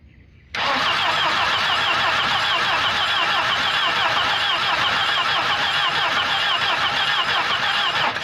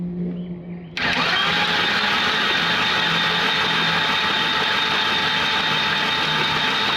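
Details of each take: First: Volvo 240 that sat in the woods, spark plugs cleaned and reinstalled: fast, even starter churn of about three to four beats per second, steady throughout. Cranking normally with good compression. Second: 1985 Volvo 240 (likely 84) long parked in woods, oil in cylinders: starter cranks evenly about three turns a second but never fires; no spark, Chrysler ignition unit to be fitted.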